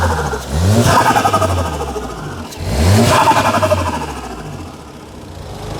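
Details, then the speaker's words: VW Golf at a car auction, intake and exhaust fitted: two clean, crisp throttle blips that rise and fall smoothly with no knocks or misses; engine revs freely and seems to run fine. "because it's got an exhaust it's got an intake it sounds good it seems to run fine"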